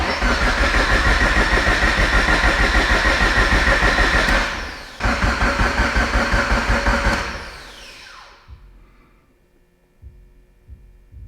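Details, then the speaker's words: Abandoned Mitsubishi Evo 8 being built for 800whp, before first start, fuel pump fuse pulled, coils and crank sensor unplugged, cranking until oil pressure shows: even cranking about three beats a second, pause, more cranking; normal, healthy turnover. "Let's turn it over, see how she sounds. Hopefully it sounds healthy. I'm gonna crank it till we see something on the oil pressure gauge."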